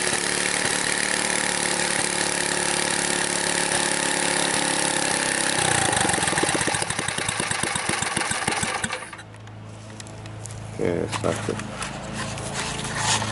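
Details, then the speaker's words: Ariens front-tine tiller, believed late-1970s, after its gummed-up carburetor with leaking float was replaced by a new one, adjusted, and run without an air filter: catches after a few rough pulls, then settles to a steady, smooth idle without misfire. "you can see fire right up so now I'm gonna go till the garden a little bit see how it works"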